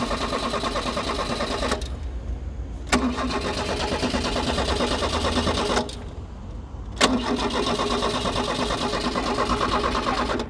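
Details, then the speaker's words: Dacia, with fuel priming and the distributor refitted: starter churns in long bursts at about three turns a second with short pauses but never fires, lights dimming. The no-start was caused by a loose low earth point, then tightened. "now just notice this earth points low down here so I'm gonna try and tighten that up and see if that has any effect on anything whatsoever"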